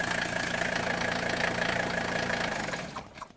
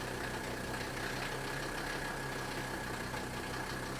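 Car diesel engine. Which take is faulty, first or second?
first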